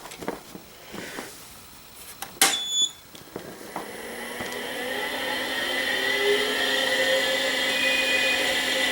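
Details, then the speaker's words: Acer 900 286 computer being revived: after loud power-on clack, hard drive spins up with a layered rough whine; owner suspects a bad bearing developed in the hard drive, not confirmed. "think we developed a bad bearing on that hard drive"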